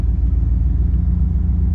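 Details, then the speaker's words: 1991 305 TBI that bogs once warm after many part swaps: with the AC on, idle rpm rises as it should; deep, steady rumble with even pulses and no miss. "You can hear the the RPMs go up like it's supposed to. So, and it there is no miss."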